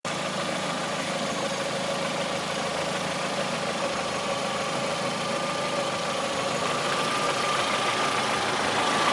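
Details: Lada Priora, 21126 petrol engine, idle: steady idle with a fast, faint tapping under a hissy top end; engine knock, cause not pinned down.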